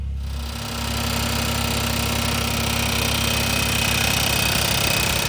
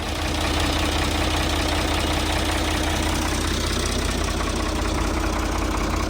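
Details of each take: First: Old Ford diesel tractor at idle after radiator reinstall, with the muffler just set on: sharp, regular ticking about three and a half times a second as a fan blade nicks the bottom of the shroud each turn; fan blade hitting shroud. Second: Old Ford diesel tractor with mechanical injection, after radiator reinstall and adjustments: steady idle with an even quick injector tick, about three per second, no knocks; normal diesel idle.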